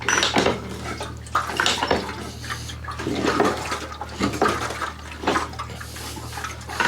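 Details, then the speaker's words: Harley Ironhead Sportster chopper, plugs in, turned over by hand with the intake palmed off: slow sucking gasps about once a second with firm vacuum; intake not leaking after the heads were reclocked for an earlier leak. "so here we go coming up on compression hand is tight tight stuck we're I mean it's solid we are not leaking the intake is not leaking"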